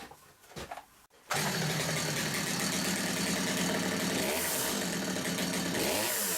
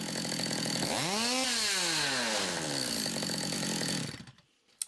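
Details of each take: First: Stihl MS200T chainsaw, fitted with new centrifugal clutch springs, idles slow and lumpy with uneven firing, close to stalling; tick over too low, carburetor idle needs a small tweak so the chain stops at idle. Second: Stihl MS200T chainsaw after replacing broken centrifugal clutch springs, run up without chain over a rag: revs climb smoothly, pitch dips as the clutch shoes move out, grab and spin the drum, then wind down cleanly; normal clutch engagement.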